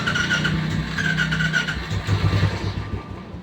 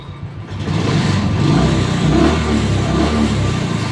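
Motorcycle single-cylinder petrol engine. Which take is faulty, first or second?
first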